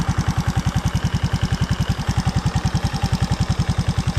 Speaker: maliban sa maingay yung niya yung ganon na sound ay malakas ang lagitik niyan malamang ay lumuwang na yung kanyang valve clearance